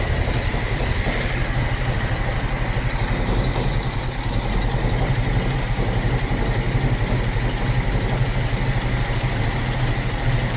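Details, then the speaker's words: 45-year-old 2.8-litre Vauxhall Royale coupe, after carburettor swap and idle tuning, idle now at the correct 1.5: steady, even fast idle with smooth low exhaust beat, no misses or hunting; normal idle. "Okay, that's sitting bang on 1.5 now, which is what it should be."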